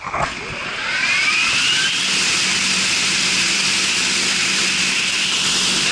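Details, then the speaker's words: Marley cooling tower fan and gearbox, test run after repairs and refilling gearbox oil; loud steady rush of air over faint low hum, no knocking or grinding; normal running. "she goes cut it cut it Vinnie she's running smooth this butter boys"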